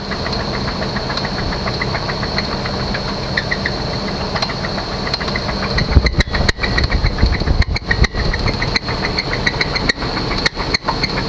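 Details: 1998 Chevy Suburban V8, first start after sitting 8 years without pre-oiling: a heavy, uneven knock about three per second over a rough idle. Owner suspects a bad main bearing. Engine knock.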